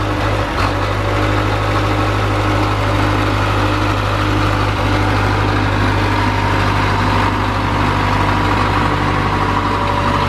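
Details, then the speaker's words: 1978 Caterpillar D3 bulldozer diesel with glow plugs, just started after sitting: deep, even idle with a steady low drone, no misses or knocks; normal idle. "i like to hear these old things run i don't think this machine's been run a lot"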